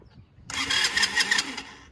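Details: Old quad not run in years, cranked with starter fluid in the intake: about 1.5 s of fast, rough cranking that nearly catches, then dies, a no-start; no spark suspected but spark later found, and no fuel drains, so stuck floats are suspected.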